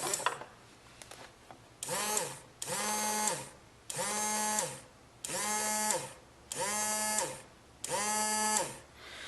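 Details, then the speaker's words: 2004 Yamaha Zuma 50 no-start, starter motor tested with the cover off: six short bursts that whir up to a steady hum and wind down cleanly, spinning freely. The starter motor works normally; the fault lies in the starter clutch, with metal filings found inside. "Well, I believe it does what it's supposed to."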